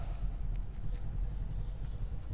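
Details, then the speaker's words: 2015 VW Golf, raised rear wheel rocked by hand: dull, uneven knocks from rear wheel bearing play; suspension parts already replaced without curing the rear noise; bearing and hub are one part. "tá com uma folga no rolamento ó Faz de novo aí vamos ver se eu vou pegar no vídeo ó rolamento de roda com folga"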